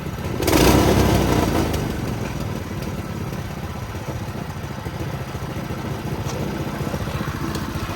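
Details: Doodle Bug mini bike, small single-cylinder engine after swap, first start with a small fuel leak: fires up and keeps a fairly steady, even putter at idle with no stalling; healthy.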